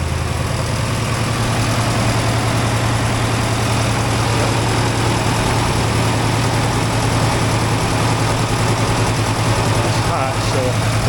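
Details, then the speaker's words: 1964 IH Travelall C1100 with Holley Sniper EFI and a new starter and battery, warming up at 174°F on a 180° thermostat: steady, even low idle with no knocks or misses, the best it has sounded in a long time. "But it sounds really good. Like that's the best this truck has sounded in a long time."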